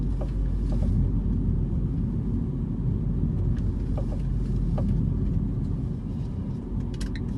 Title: Clio RS knocking sound